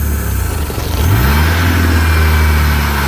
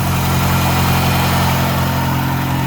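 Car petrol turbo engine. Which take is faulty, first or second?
first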